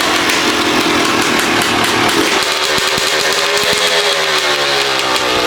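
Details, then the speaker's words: Rebuilt 2011 Yamaha YZ250 two-stroke, first start after the idle screw was turned out one turn: fired on the 3rd kick but stalled from the low idle setting; here a high, raspy buzz holds a fairly steady fast idle with crisp firing, no knocks; healthy. "Started up actually pretty quick. There was maybe 2 kicks, and then I think on the 3rd kick, it started to fire, but didn't stay running."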